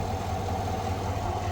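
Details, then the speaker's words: 2021 Silverado idling smoothly after replacing the idler pulley and serpentine belt, heard through a funnel held on the pulley bolt: steady, even hum with the earlier whine gone. "All right, start it up, make sure we don't hear no whine. So far, so good. Yeah. Let me take a listen down there. Oh, that's night and day difference."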